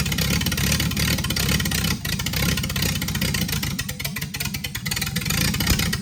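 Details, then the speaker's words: Freshly rebuilt Triumph TR6 six started cold, on chokes, carbs not yet adjusted; runs lumpy and uneven with stumbling firing and a loose rhythm. "But it starts, it's alive, so. It's cold and these carbs are not adjusted, so I don't know."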